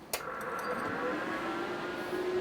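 After a switch click, a soft steady whir with a faint even hum settles in; fans running smoothly and quietly inside the enclosure.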